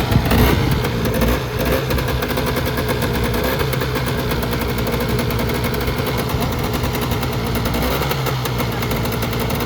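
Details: Polaris Trail Boss 350 two-stroke quad, revived after sitting abandoned 15 years: rapid crackling putter running steady and fairly even after a brief blip, quiet and much better than before; normal running.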